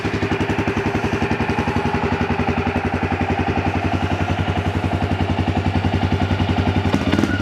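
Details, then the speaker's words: Yamaha Grizzly 300 ATV after a no-start/won't-stay-running fuel delivery fix with a new fuel valve (part 1SCF4500-10) and an aftermarket Chinese carburetor: a crisp, regular single-cylinder thump of about 220 beats a minute, holding steady without stumbles. "it's got good idle good wide open throttle that little chinese aftermarket carburetor works pretty good"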